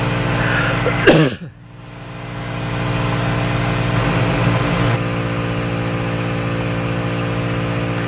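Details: ARB onboard 12V compressor in a Ford Transit van, engine running: loud knock at start, then steady motor hum with fine pulsing buzz over idle, inflating a tire from 25 to 49 psi in about 1 minute 15 seconds; normal operation.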